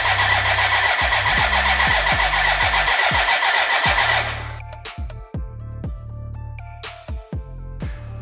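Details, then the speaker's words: BMW K100 café racer build, first start attempt with fuel in: starter churns steadily three to four turns a second, never catches; no fuel getting through, fuel starvation. "there is a fuel problem now it's connected to the tank but it's damn dry so now yeah i have to figure out why if our water water pump if our fuel pump does have power or not"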